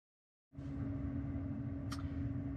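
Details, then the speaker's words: 2020 Tesla Model 3 Performance (UK) during the 2020.16.2.1 software update, heard from inside the cabin: steady low fan hum with a single sharp click, normal contactor and cooling-fan activity during installation. "lots of clicks popped bangs fans coming on and off and lots of strange noises slightly slightly concerning"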